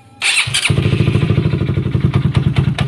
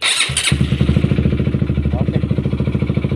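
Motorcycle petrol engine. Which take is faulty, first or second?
first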